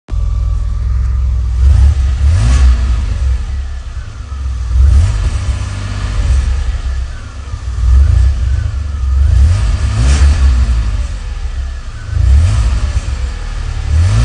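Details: DeLorean DMC-12, 5-speed, stock engine, audio only, revved repeatedly at idle: a loose rattle from the engine bay or underneath rides on each rise in revs, also when accelerating on the road, for a few months; muffler bracket suggested, not confirmed.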